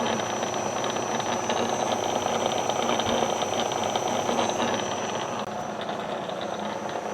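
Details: Bridgeport mill head in high gear with the spindle engaged, old spindle arbor bent near the spline: steady busy whir with fast ticking rattle and thin high whine, changing with quill position and which teeth engage; spindle noise.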